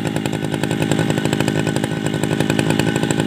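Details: Tabata two-stroke brush cutter, 7+ years daily use, original block, piston, carburetor and muffler, rings and cable replaced; high-rev buzz, steady and crisp with no bogging or surging while cutting: normal running.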